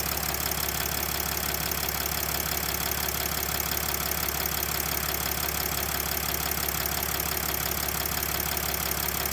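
Even diesel idle with a light, regular tick riding on top, about three a second; the source can't be pinned from this alone.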